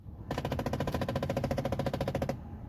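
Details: 2007 Ford Mustang GT defrost/AC blend door actuator failing: rapid, even knocking from behind the dash, about twelve clicks a second, occurring when the defrost control is turned.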